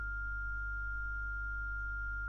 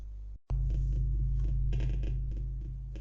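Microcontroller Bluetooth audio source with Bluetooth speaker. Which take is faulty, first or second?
second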